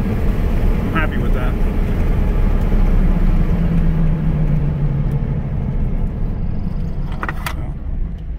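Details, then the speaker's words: 2004 Chevy Colorado 3.5 L road test: deep steady drone building evenly under road noise, no cutting out; fuel pressure maintained instead of dying off. Normal acceleration, fixed. "I remember before the fuel pressure would just die off so there we go it's accelerating no problem it's maintaining fuel pressure so we're good"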